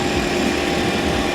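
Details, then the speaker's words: Toyota Corolla after an engine swap to a used engine, first start with fresh oil: steady, even idle with a smooth low rumble and no knocks or misses; the engine starts and runs fine. "Started up. So, that's a good thing. It actually starts up. It runs."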